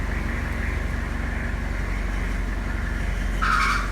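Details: 2002 Toyota Hilux, engine running: a sharp half-second squeal as the steering wheel is turned. Power steering noise.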